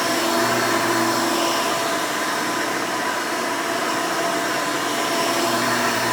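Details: 1992 Hoover Elite II Total System Performance 650 U4689-910 upright vacuum, motor untouched since purchase: loud, smooth high-pitched air rush with steady motor whine, no rattles or surging; owner says it sounds good, normal motor running.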